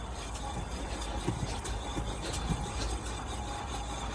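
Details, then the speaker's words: Rear wheel spun by hand after replacing a noisy wheel bearing that had lost its grease through a broken casing: soft, steady low rumble, no grinding; much quieter than before, no vibration felt at shock absorber. "as you can hear it's a lot quieter than before"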